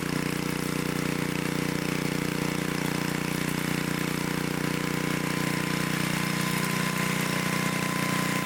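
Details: 1972 Dayton 3,000 W electric-start generator, sat unused for 30 years, running after reassembly during an RPM check: a steady, even single-cylinder chug at about 200 beats a minute with a constant low hum, running smooth and healthy.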